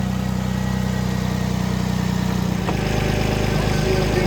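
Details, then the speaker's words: Kia Rondo 2.7L V6 idling after camshaft position sensor replacement for P0346: steady, even idle with no ticking, misfire or stumble; engine light still on pending code clear, no leaks seen; normal idle. "She fires right up, and engine light's still on, but I'll have to use my Blue Driver OBD code reader to clear that code probably."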